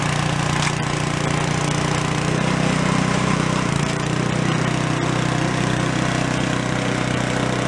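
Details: Gilson snow blower (roadside find, carb cleaned of acorns) after electric starter repair, small engine at steady high speed with constant buzz, no misses; throttle slowly vibrated down from full, linkage needs tightening; normal running.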